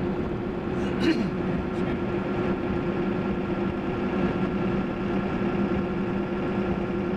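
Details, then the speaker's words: Ford F350 OBS with 7.3 Powerstroke diesel on Mickey Thompson Deegan 38 315/75R16 mud tires, in cab with window half down at just under 60 mph on clear winter roads: constant low droning tire hum, steady pitch, no thump; normal. "got the window half down doing just under 60 so that's what they sound like at that speed"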